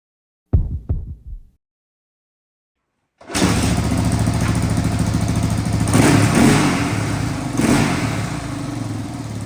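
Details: 1985 Honda ATC350X after full restoration, first start with fresh oil; a couple of kicks, then it catches and settles into a steady thumping idle with throttle blips, running clean and even.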